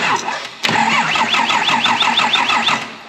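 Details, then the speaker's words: Rebuilt Fummins engine with turbos, first start attempt after four months, larger starter cable fitted: even, brisk cranking with evenly spaced compression pulses, spinning freely; healthy starter. "she does spin over, and it does sound pretty good."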